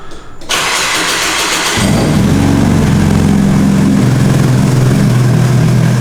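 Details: Nissan 240 with SR20, first start after new turbo fitted; short crank catches cleanly, settles to a steady, even idle with no knocks or rattles. Normal start and idle.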